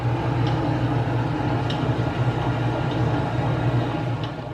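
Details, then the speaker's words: Old dishwasher running: steady low pump hum with faint, irregular clanking and knocking, still present after restarting. Suspected debris caught in the waste basket striking the propeller-like wash impeller below it. "it's like a knocking noise so we're just going to take this waste basket off on this style of dishwasher that's usually what it is something just gets caught up in this waste basket here"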